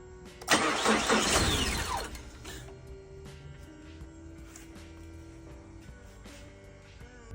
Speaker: customer States my Mazda runs for 1 second then just stops every time this is most likely a f fuel pump issue which is quite common for this model and needs to be replaced